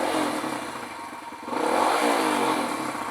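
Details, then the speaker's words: Kawasaki KLX140 big-bore rebuilt to KLX170, freshly rebuilt and being broken in: crisp single-cylinder note climbing with throttle blips and falling back cleanly, no knocking or rattle; feels powerful – normal revving. "good though man it feels like it's got a lot of power"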